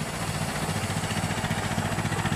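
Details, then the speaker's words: 1925 Ford Model T after hand-crank start: slow, lumpy four-cylinder idle with uneven stumbling pulses, running rough because the spark is retarded; advancing the spark makes it run much smoother. "you can hear the engine running quite rough so what we do is we advance the spark and you can hear the engine running much smoother"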